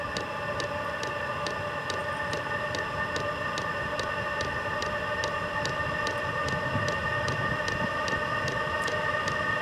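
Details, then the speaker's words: First startup of a VEVOR 27,200 BTU diesel air heater, igniter warming and combustion starting: steady blower drone with an even fuel-pump tick at about twice per second. Normal light-off and warm-up. "this is not the fuel tank for it it runs on dent so sounds like the igniter is taken off warming"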